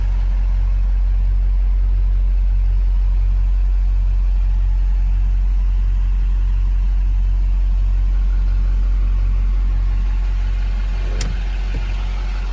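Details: 2005 Chevrolet Silverado 2500HD 4x4 automatic, 6.6 Duramax diesel, 20,000 original miles: after a quick, easy start, a low, steady, quiet idle with an even beat of about three per second and no knocks or rattles. Normal, smooth idle.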